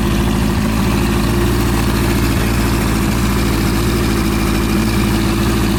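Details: Suzuki GS750 four-cylinder engine after top-end overhaul: steady, even idle with a smooth low rumble and no knocks or rattles; running healthy.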